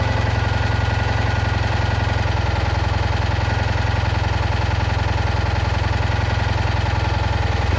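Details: Citroën Ami 8 flat-twin, hot: steady low thrum that keeps dropping beats, uneven stumbling rhythm of a misfire on one cylinder; owner is certain the ignition condenser is at fault.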